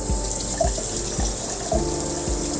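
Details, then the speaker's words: 2023 Airstream Bambi 22FB on-demand fresh water pump, not on city water, faucet opened: water running over steady pump hum with soft even pulses about twice a second; pump running normally, stops when tap closes. "hear it making noise there so the pump is running there and if I shut this off you'll hear the pump turn off"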